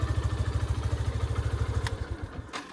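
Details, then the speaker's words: Yamaha FZS-V3 motorcycle at about 31,979 km, exhaust outlet blocked to hear the engine: low even thumping idle, no knocking or rattle, then dies away; engine sounds healthy with little noise. "আমি যদি এই এক্সস্টটা বন্ধ করে দিই তাহলে আমার ইঞ্জিনের সাউন্ডটা দেখেন, খুব বেশি একটা নয়েজ কিন্তু নাই।"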